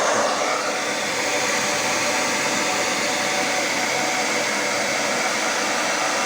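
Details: Hair dryer after motor replacement with an aftermarket motor, professional-grade salon dryer used for several years; second fan speed with heating, nearly 8 A draw: steady even air rush with smooth motor hum, no rattles, scraping or wobble; repair successful, normal running.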